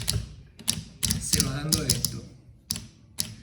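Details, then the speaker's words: EPS-5 wrap spring clutch with its torque exceeded: the spring jams against the hub, shaft and collar, so it can't cut. The solenoid is pushed out and keeps hitting the collar with sharp clacks in irregular bursts, about three a second. "entonces empezaré cada vez que sale golpea contra el collar y se escucha"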